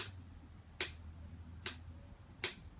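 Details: 2006 custom Yamaha R1, earlier overheating, then jump-started from a car battery; sharp dry clicks about every 0.8 s, four in all, the bike will not start. Owner considers stator/rectifier; cause not confirmed.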